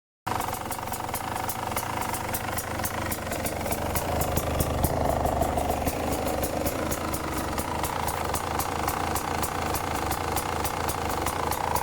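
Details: 2018 Beta 300 RR two-stroke running: sharp regular ticking about four times a second over the engine, an engine noise with no identified cause.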